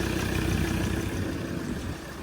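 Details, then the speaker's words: Ford Ranger diesel after an engine replacement, first start on a slightly weak battery: steady, even idle with a smooth low beat and no knocks, misses or rattles; the new engine runs healthy. "hopefully it does start the battery is still a little bit weak that sounds beautiful"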